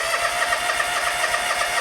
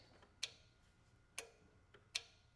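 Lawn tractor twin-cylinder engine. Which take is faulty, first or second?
first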